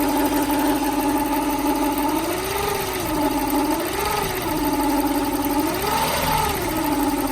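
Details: 1995 Lexus SC400 V8 at idle: tinny, wavering tone swelling and dipping every couple of seconds, odd top-end noise suspected from bank 2, cause unknown; after full OEM timing belt, water pump, pulleys, idlers, plugs, wires, distributor caps and rotors on long-sat car.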